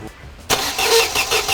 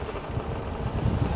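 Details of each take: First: Mercedes-Benz W124, late 1995, long dead and rotted: steady starter cranking about three pulses a second that never catches; crank no start, fuel pump priming sound at key-on reportedly gone now, cause unknown. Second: Old Mercedes-Benz W124 revived after long standing: low, steady idle with an even, unhurried pulse and no misses or knocks; the engine idles smoothly.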